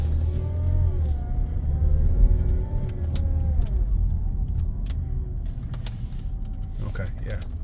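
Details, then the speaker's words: 2014 Ford Escape 1.6 EcoBoost automatic, 108,000 miles, stuck in first gear and reportedly no reverse: a clear whine rising and falling over the engine drone, so the transmission is clearly unhappy, pointing to internal transmission failure. "oh and the transmission is whining I do not know if you can hear that in the video oh yeah there's definitely a problem here transmission does not sound happy"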